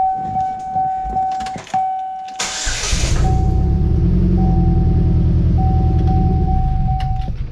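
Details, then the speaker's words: Modified Pontiac Solstice, warming up in the garage after weird idle and power loss: door chime, then a lumpy idle with an uneven beat. No vacuum or air leak was found; one cylinder misfires through a dirty or poor ignition coil connector. "I know that's a misfire I know that's what that is"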